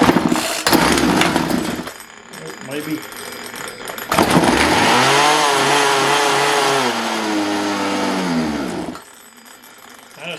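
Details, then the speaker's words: Craftsman 42cc chainsaw with hard (not rotten) fuel lines, in a cold shop: catches and revs unevenly up and down a few seconds, then dies; fuel starvation, owner thinks it will never pull fuel on its own and plans a new carb. "don't think that one's ever going to pick up and pull fuel on its [Applause] own"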